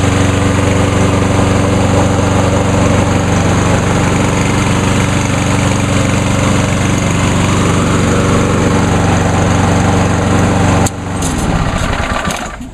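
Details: Walk-behind mower: steady, even single-cylinder putter at about four beats a second with no misses before shutting off. It runs much better than before, close to the other mower.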